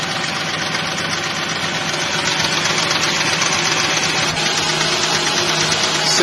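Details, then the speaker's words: Nissan VG33E V6 idling after alternator slip-ring rebuild, A/C on: light quick tapping about four a second from one hydraulic lifter, blamed on oil too thin; heavier 50-weight oil advised. "can hear that little tapping inside the engine that's one of the lifters and that's because we're using this oil"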